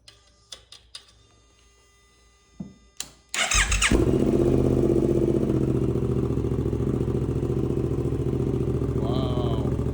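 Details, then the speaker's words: 2024 Suzuki GSX-8S first start after installing Delkevic 9" oval carbon full-system exhaust, baffle out, radiator drained: starter whirs, then the twin settles into a loud deep even idle with steady throb; healthy. "yeah, I got spilled everywhere, but man, that thing is loud now. It sounds really serious. Like we got a serious motorcycle now, so that's amazing."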